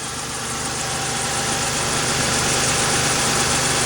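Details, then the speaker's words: Toyota T100 6-cylinder with almost 300,000 miles, after replacing a suspected failed alternator that gave low charging output: a steady, even idle with a smooth hiss and no knocks, misses or surging, so the engine is running healthily. "Sounds like it's running sweet. Everything up to speed."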